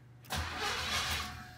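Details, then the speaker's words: 1986 Cutlass 305 V8 after a new flywheel and correct starter: brief crank, catches and settles into a smooth, steady idle; normal start and idle. "oh that sounds healthy there we go that sounds like a healthy 305 to me"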